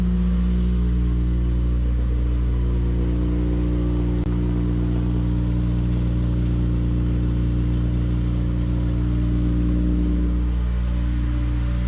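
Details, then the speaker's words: Honda Civic EM2 with freshly swapped K-series engine and newly fitted exhaust, first start: deep, steady exhaust drone, smooth even pulse, no ticking or knocking; K-series high idle, suspected exhaust leak dismissed, quiet and healthy. "yeah sounds good definitely sounds like a vibrant it's got that K series high idle but we'll take that"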